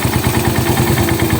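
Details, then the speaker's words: Raider 150 motorcycle, warmed up, after the cam holder was resurfaced and a shim was replaced for a noisy head: a quick, even single-cylinder idle with no top-end ticking, whereas before it clattered like a typewriter. "Okay na wala na siyang lagitik kasi nung una dating to parang ano eh"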